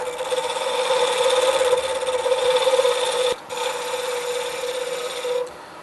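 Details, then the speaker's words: Wood lathe turning a pen blank with corners removed: steady, even cut with a constant hum and hiss and no chatter, meaning the blank is fully round; noisy cutting earlier meant it wasn't round yet. "now this is totally round and uh so it's a little smoother it puts a little smoother edge on it"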